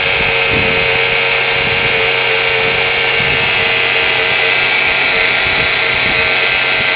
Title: Weird engine noise.